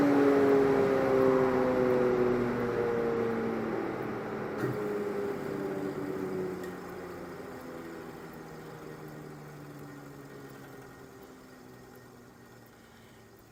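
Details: Early cast-iron Dunlop-made Craftsman 12-inch disc sander from a garage sale, bronze bushings still needing oil, damaged cord, first start with no sandpaper fitted: smooth motor hum falling steadily in pitch as it coasts down, no grinding or rattle. Bearings sound fine; normal run.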